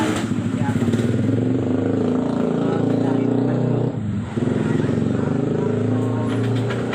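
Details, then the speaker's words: Honda Vario 125 second generation, CVT service; V-belt set reportedly replaced two months ago, owner unsure what else was changed: harsh, rattly drone from the drive side with idle sagging midway; rough CVT noise and unstable idle. "Suaranya nggak enak didengar banget ya Nah ini dan stasionernya nggak stabil ya"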